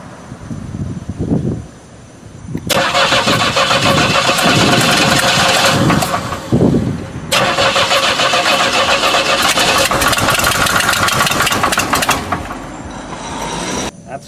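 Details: Blown Buick engine cranks and catches, running rough with heavy rapid bottom-end knock, likely a spun bearing needing rebuild; ignition system already replaced, exhaust leak also audible.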